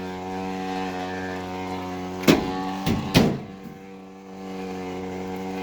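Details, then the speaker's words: Electrolux washer switched completely off yet keeps running, still filling water with no power; steady low hum with even tones and a few handling clunks; cause unknown. "Now we got it off. It's completely off and it's still going."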